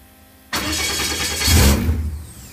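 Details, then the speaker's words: Viking Aircraft 130 engine, throttle at idle, fuel pressure about 52 psi with clear fuel line fitted; starter whirs and engine briefly catches then fades, cranks but won't start. "I can try to crack the twaddle just a little bit more come back in here crank it again and see we get nothing that's about it"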